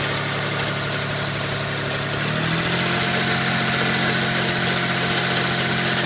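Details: 1992 GTO twin-turbo V6 idling: light quick lifter tick plus a steady airy hiss from a vacuum leak.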